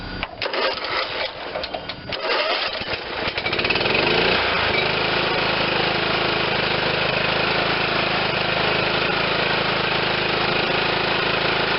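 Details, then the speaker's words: John Deere LT160 automatic, Kohler Command 16hp engine, after freeing sticky governor rod: rough crank, then slow lazy steady idle; idle screw on top of carburetor set far too low, turned clockwise to raise. "i'm gonna give it just a couple turns and let's see where the idle is it was way too low"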